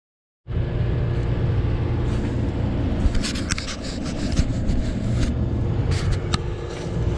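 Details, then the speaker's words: Noisy compressor: deep steady hum with irregular metallic rattles and scrapes, as the compressor's steel body rubs against its metal frame; the fix is to add rubber to keep them apart. "Maingay rin yung makina. Pala maingay, sumasayad na yung bakal ng compressor."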